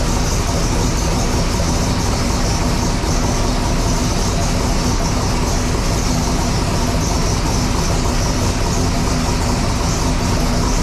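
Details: Sick Seconds 1.0 copper Camaro drag car, first fire-up after being freshened up and reassembled: loud, dense, steady idle with no misses, knocks or rising noises; normal idle.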